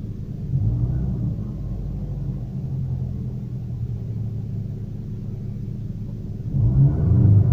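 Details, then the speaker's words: Daewoo Lanos/Nexia-type engine, cold, after throttle position sensor calibration to about 0.55 V: a low, uneven rumble at idle with a wavering beat, then the revs swell; it responds oddly, as if starved of fuel. "странно так реагирует необычно как будто не хватает газа"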